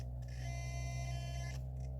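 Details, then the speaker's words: Traxxas TRX6 crawler on an obstacle course: the powerful, fast front steering servo gives a steady low electric buzz with a thin whine whenever pressure is put on it. Servo hum under load. "you hear that Servo good Lord anytime it gets pressure put on it it makes a"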